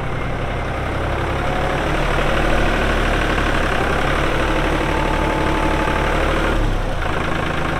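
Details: 1999 New Holland TN65S 4WD diesel tractor, 8-speed hydraulic shuttle, NH 33LA loader, 4,162 hours: even, low diesel clatter at steady idle, no stray knocks or misses; AC cold, hydraulics strong, engine sounds good — normal diesel idle.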